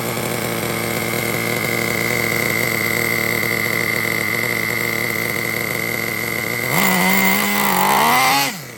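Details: Traxxas T-Maxx 3.3 nitro engine, cold start after replacing front and rear engine bearings: smooth, steady high-pitched buzz at idle, quick clean throttle blip, no crunch or grinding; healthy bearings.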